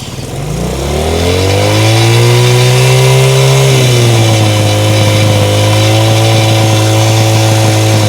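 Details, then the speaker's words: 1970 Honda CL100 single, about 11,000 miles, formerly seized engine freed and cleaned: fires, revs smoothly, then holds a steady, even beat with no knocks or rattles, running healthy. Fuel leaks at the carb and needs a gasket. "sounds sounds pretty good yeah it doesn't sound like an engine that was seized"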